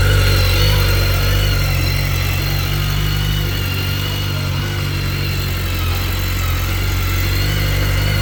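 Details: 2010 BMW K1300GT motorcycle at a cold start: steady, even four-cylinder idle with a smooth low thrum and no knocks or misses; sounds good and strong, no smoke, healthy cold idle.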